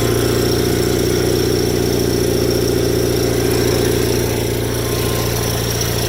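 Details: Rare factory-built Cub Cadet garden tractor (one of 83): steady single-cylinder idle with a loose metallic rattle on every beat from the counterweight disc flopping on the PTO clutch, which needs tightening.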